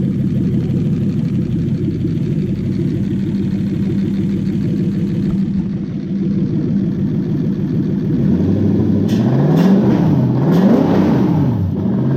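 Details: Toyota 1UZ-FE V8: holds a smooth, even idle, then is blipped in a few clean rises and falls with no knocks or misses.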